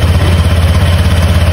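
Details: Motorcycle CVT at a short idle: fast, even pulsing clatter over the low engine note. Owner doesn't know what the problem really is; the bike isn't warmed up daily. Cause unconfirmed.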